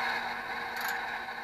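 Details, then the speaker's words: HP Infinium oscilloscope revived: a loud steady whirring whine with a rough scraping grind from the small heatsink cooling fan, which is failing. "why wow that's really loud that's not good oh"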